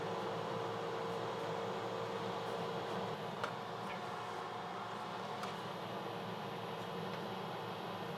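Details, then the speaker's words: Red Bull mini fridge after fitting new inside (8038) and outside (1238) fans: quiet, steady whir with no rattle or scrape, much quieter than before, normal fan operation. "i can feel them sucking in air and it's a lot quieter so let's go oh this is great i like it"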